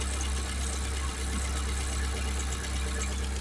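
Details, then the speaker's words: 1979 Fiat after fitting a new fuel pump with a relay and a fuel pressure regulator, and sealing an oil leak: even, steady low idle with no misses or knocks after a clean start. "That was a beautiful start. Yeah, we're going to we're just going to remove that. But I would say we're pretty happy with that."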